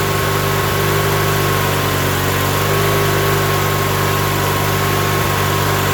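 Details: Coleman Powermate 7000 generator, 18 HP twin L-head, 3600 rpm, revived non-runner after carb cleaning and fuel filter, on choke, primed with gas down carb: steady low drone with even beat, no knocks or stumbles; running smoothly.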